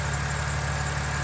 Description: BMW N52, still no ticking after 2700km. I am happy.